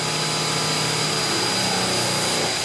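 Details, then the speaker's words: Kaivac No Touch Cleaning System internal pump being primed: vacuum hose sealed on pump, gun trigger pulled; steady whirring pump tone shifts pitch near the end as air clears and water is drawn in, pump primed. "And then we're going to pull the trigger on the gun. And if you listen to the pump, you should hear it change. Did you hear that?"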